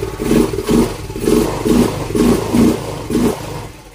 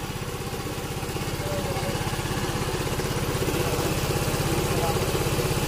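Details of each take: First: Yamaha Mio M3 scooter, dead for a year, after injector and fuel filter replacement (old filter dirty): runs only on repeated throttle blips about once a second, then fades and dies; no idle, throttle body cleaning and idle adjustment planned. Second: Yamaha Mio M3 scooter, not run for a year, after injector and fuel filter replacement: even, steady single-cylinder idle without hunting or stalling; idles cleanly on its own.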